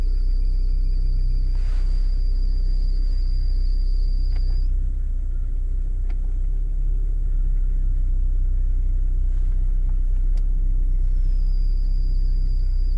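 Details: Lada Vesta NG: deep engine rumble with a thin steady high whistle that drops out then returns, belt squeal occurring only in below-freezing weather when windshield heating is switched on.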